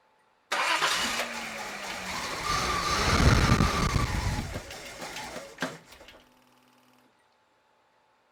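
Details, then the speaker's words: Datsun turbo petrol engine with cracked, taped intake hoses and vacuum leaks, before hose repair: catches, runs unevenly for a few seconds and stalls, won't stay started. "so you heard how the car sounded it sounded horrible I couldn't even keep it started"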